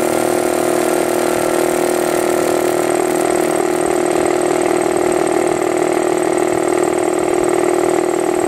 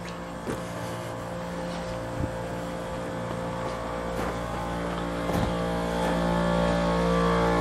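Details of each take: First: New Harbor Freight Central Pneumatic 29-gallon 150psi air compressor, first run: quiet, steady motor-and-pump drone with smooth pulse about four per second, no knocks or rattles; normal running while charging tank, barely audible. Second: Old shop air compressor (being replaced by new Harbor Freight Central Pneumatic 29-gallon 150psi), heard from outside against the house: loud steady drone with regular knocking about four per second, straining to build past high pressure; labouring suspected, unconfirmed.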